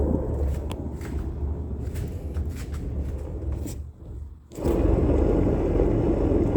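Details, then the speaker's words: Dry, ungreased and questionable wheel bearing on a 1986 home-built utility trailer axle, wheel spun by hand before greasing: rough, low scraping rumble with uneven rotating rhythm, a dry worn hub bearing grinding. "okay so that's what it sounds like with no grease and that questionable bearing"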